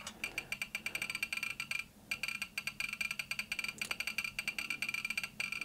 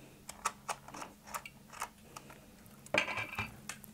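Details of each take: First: Soviet 1969 'Signal' pocket radiometer with STS-5 and SI-3BG Geiger counters: fast, dense crackle of sharp clicks from the speaker as a powerful source overloads the first subrange. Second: Soviet 1969 «Сигнал» pocket beta-gamma radiometer on the ×0.2 range, with a piezo speaker plugged into the headphone jack: sparse, irregular clicks, about two or three a second, at normal background radiation of roughly 15–20 µR/h.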